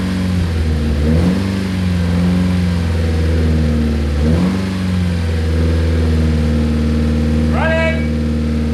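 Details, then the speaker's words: Nissan 240SX S13 with SR20DET swap, first run after about 14 years sitting abandoned: a steady, even idle with a couple of clean throttle blips that rise and settle smoothly. No knocking or misfire; normal, healthy idle. "running it sounds amazing very cool"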